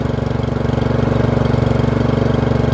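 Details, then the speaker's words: Free Murray 30" riding mower after fitting a new Amazon replacement carburetor (old one surged): steady, even drone with smooth regular beat pulling away, no knocks or misses; runs cleanly. "There we go. We're moving. Sounds good, actually."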